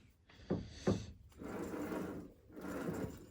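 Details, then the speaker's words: On-One Inbred bicycle, rear wheel rocked by hand: two sharp wooden-sounding clunks, then scuffing; play in the rear wheel hub, wobbling side to side badly. "I've noticed there's play in the back wheel, it's wobbling side to side quite bad."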